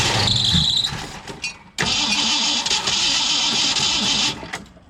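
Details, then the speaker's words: 1965 Mustang 289 V8, first start after a camshaft replacement and a long layoff: a short crank, a pause, then longer cranking that never quite catches. Slow to fire while fuel is pumped up to the carburetor; a belt squeal was also noted. "well that sounded pretty good it just needs a little time to pump up some gas from the tank to the carburetor"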